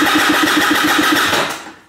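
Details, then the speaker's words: Piaggio SKR 125cc scooter with a new battery: steady fast starter whir with even pulses, winding down without the engine catching; cranks but will not start, spark, compression and carburettor to be checked. "allerdings springt der oder nicht an"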